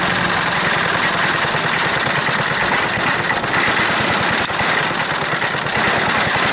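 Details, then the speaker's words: Wood chipper's small engine, pull-started on full choke at full throttle, no air filter: ragged, uneven firing with a rattly top end, running rough; owner suspects a bad carburetor float and dirty carburetor. "that it sounds like a sputter but boy that's a job pulling it i choked it all the way but it's got a bad uh float i think it's definitely firing it's got a real bad float"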